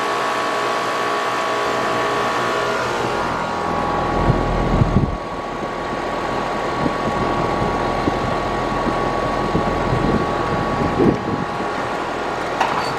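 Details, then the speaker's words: AC condenser on a no-cooling service call, restarted after rewiring fan common to contactor with a hard start added; compressor rated 19.9 A, fan about 1–1.2 A. Steady fan rush over smooth compressor hum, no clicking or hard-start groan: normal condenser running. "Alright folks, now let's fire it up. See if we can get a better temperature differential."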